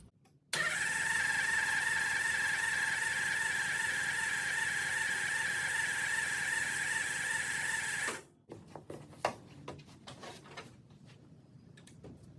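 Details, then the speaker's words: 1974 Ford Bronco 302 V8, sat since 2015: steady even cranking about three turns a second for nearly eight seconds, never firing; fuel pump delivers to filter but carburetor float needle stuck on its seat, bowl dry; fuel starvation no-start. "so my fuel bowl is completely dry have removed the hat off of the carburetor of the float needle is stuck that'll do it so I think this was my culprit"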